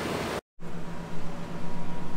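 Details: Insurance-auction Nissan Armada, front-end collision total, just jump-started: low steady hum with gentle even pulse and fan rush, AC blowing cold; smooth, healthy idle with AC on.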